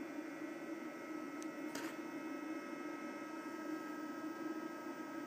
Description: On top of that, it burns away 12-16W constantly, that's why the fan kicks in like a hairdryer every once in a while... instead of running slowly but constantly.